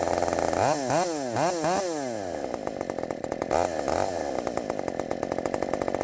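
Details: Redmax 5000 chainsaw with wide-open exhaust port muffler: quick rising blips then high steady crisp scream held under load in the cut, around 12,200 rpm, about 11,900 on a knot; runs faster after the mod.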